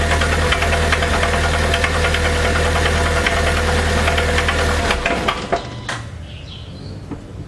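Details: 2009/2010 VW Gol G5 1.0 8V flex EA111: heavy regular knocking about three times a second through the run, dying away at shutdown; spun rod bearings in the second-cylinder connecting rod wore its bore, rod knock.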